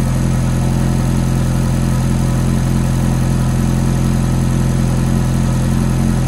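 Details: Ferrari F430 V8 idling low and steady after a cold start, with a light regular ticking noise riding on the rumble.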